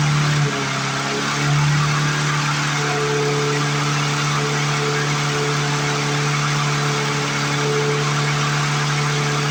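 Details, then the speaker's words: 1997 Lawn Chief push mower after mouse nest removal, return spring, throttle and bail cable fixes: high, steady hum with no surging, but running faster than normal governed speed; overspeeding, governor seen working, cause unconfirmed. "To my ear, that just sounds like it's running more RPM than it should. But it's not surging anymore, so that's a blessing."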